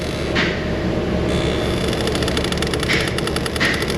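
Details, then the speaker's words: Dodge Charger HVAC mode door actuator, just found unplugged and reconnected: rapid, light ticking over cabin hum, stopping then returning. Scanner shows mode door short-to-battery codes; a damaged door is possible. "See what it does. I hear it. It stopped. Perfect. Let me get the scanner on it and we'll see if there's a calibration for it. Oh, there it goes again."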